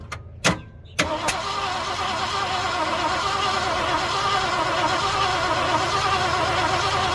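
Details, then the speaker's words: 1967 Ford Galaxie V8 out of the sun for about 35 years, compression 70–113 psi against roughly 120+ spec, one carb accelerator jet suspected plugged; a few clicks, then long weak uneven cranking with no catch; low compression, no start. "So spec on this is like 120 and up or something like that on this old engine. 120 and up. So it's not looking good."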